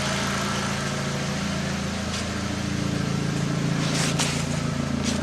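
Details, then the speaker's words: Mk4 Jetta 1.8T at idle after new spark plugs and ECS Tuning ignition coils: steady low hum with an even pulse and no dips; previously the idle dipped from around 900 rpm, now it idles smoothly. "idling perfectly before i noticed that my idling was dipping down um it was like dipping normally at idles right around 900 rpm"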